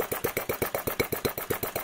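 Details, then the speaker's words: Enginediy Retrol model four-stroke petrol engine with an overly simple carburetor and unpressurized fuel: slow, soft, laboured chuffing at roughly eight beats a second; ran super rich, then super slow, then quit. "In this case, the fuel is still up into the carburetor, which is great, but you heard it ran super rich, then it ran super slow, and then it quit."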